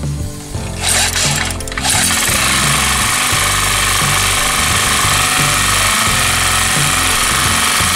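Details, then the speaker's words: Yamamoto 4-stroke portable generator that was hard to start, running after carburetor needle work (the needle was possibly broken, still untested); the small single-cylinder settles into a steady, even chug with no misses or surging; normal running. "OK, bình xăng con vẫn nổ bình thường nhưng không biết có vấn đề là khi kim này bị gãy không, mình sẽ test lần khác"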